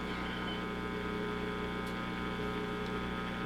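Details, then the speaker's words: Purple GE Model 56 tube radio, recapped, brought up slowly on variac around 140 mA: steady low mains hum with stacked tones under audio; heater-to-cathode leak suspected, unconfirmed. "there we go we got a little bit of a hum i had hmm got all new caps in here i wonder if we have a heater to cathode leak"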